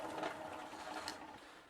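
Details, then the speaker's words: Cheap retro Nostalgia bicycle after bottom bracket replacement, rear wheel spun freely; light fast scraping whir fading as it slows after bending the chain guard bracket made little difference; chain guard rubbing. "And as you can hear, bending the underside of the bracket didn't make a huge difference."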